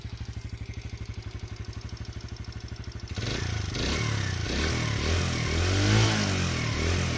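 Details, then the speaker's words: Kuba X Boss motorcycle, just started: even, quick thumping idle with steady firing, then clean revs rising and falling smoothly on a light throttle blip; healthy, normal idle. "Evet hafif bir gaz vermiştim motorumuzun sesi böyle arkadaşlar"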